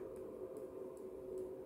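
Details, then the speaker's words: MW Power MW-SC6B charger on a 12 V battery set to 24 V mode: steady mid hum with faint tick about every 0.4 s, clicking from the crocodile clamps as charging pulses erratically. "to wariuje to tak Pyka tu piszczy nie i mamy te zero takie stukanie które być może słyszycie to pochodzi tutaj z krokodylków"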